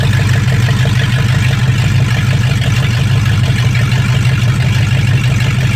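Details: 1965 Mustang fastback, 289 V8 with Tri-Y headers, first start after sitting 44 years, freezing cold day: steady, even low rumble at idle with no knocks or misses. Normal idle with good spark; only a dripping carburetor needing a rebuild.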